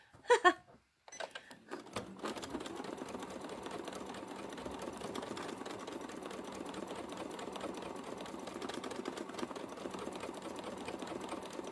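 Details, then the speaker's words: Free-motion quilting machine with open-toe foot, blunt needle: fast, even needle clatter with loose tapping throughout; presser foot set too high, screwdriver fits under it, fix is lowering the foot. "now it's making that noise because the gap between the fabric and the foot is too much see i can get a whole screwdriver under there so i need to drop that foot"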